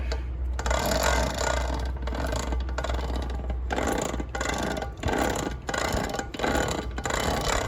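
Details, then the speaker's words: Nathan's custom Voloci electric bike, coasting off throttle: low droning hum with rough scraping in bursts, heavy drag on the wheel; not the 415 chain; owner suspects the motor is brushed, unconfirmed. "It's just super loud. When you let off the throttle and just coast, there's so much drag on this wheel."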